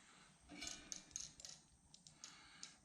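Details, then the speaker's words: Torpedo heater rotor turned slowly by hand; light, dry clicks as the vanes drop freely under centrifugal action, as they should, kept dry with no lube. "can hear them clicking so as I turn them you see they're dropping that's the way they should work"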